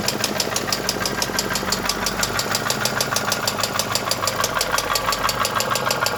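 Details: Mercedes M111 2.2 engine: sharp, regular tapping about three times a second over a steady idle; a knock inside the engine.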